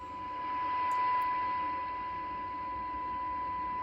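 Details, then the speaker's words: Radio Shack TRC-495 CB base on the bench. A signal generator tone is heard through the speaker with an 8-ohm load before receive alignment at -90 dBm. A clean, steady mid-pitch tone sits over faint hiss, and the receiver works normally. "actually I can take this out so you're going to hear the uh the tone from the signal generator so bear with me here guys so that's the signal coming"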